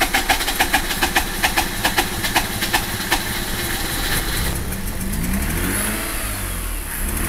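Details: 2004 Mazda RX8 rotary, 110000 km, broken side seal: very rough lumpy idle, power loss, rhythmic pulsing air-suction puffs about twice a second, growing into louder surging suck with throttle blips.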